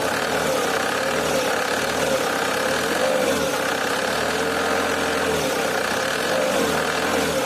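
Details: Nissan AD 2001, YD22D 2.2 diesel, manual, 260,000 km, after a summer start: light metallic tapping over the idle clatter, loudest just after starting and fading after 5–10 minutes. It reappears under load; owner suspects the injectors.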